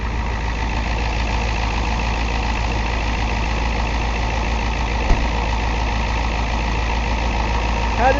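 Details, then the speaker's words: 1990 Ford F250 Lariat, 7.3 L International diesel, 5-speed manual, over 200,000 miles, hard cold starting after sitting. Warm restart idle: steady, even diesel clatter, no stumble or misfire; only the initial cold start is problematic. "so we only let it run a minute or two he killed it and it starts right up so it's just the initial startup"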